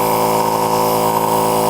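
A steady, even motor hum with a constant pitch and no knocks, surging or rattles; the small compressor is running normally.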